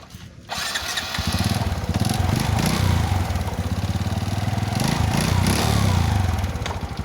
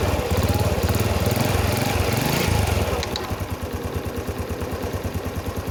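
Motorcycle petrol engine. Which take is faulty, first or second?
first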